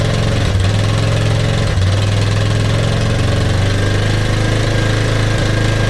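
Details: Kawasaki KLF300 Bayou quad, pulled from a scrap metal yard, running after a new spark plug and a little fuel poured into the cylinder: steady low thumping idle with an even beat and pitch, no stumbles or dropouts; engine runs properly.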